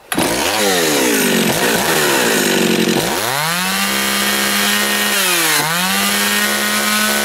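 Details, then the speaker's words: John Deere EV45 chainsaw after carburetor rebuild, run at full throttle to check bar oiling: loud steady high scream climbing and holding with brief dips and recoveries; runs cleanly and strong. "so you're going to want to run a full tilt this is to tell if your oil is oiling if you can't really see it"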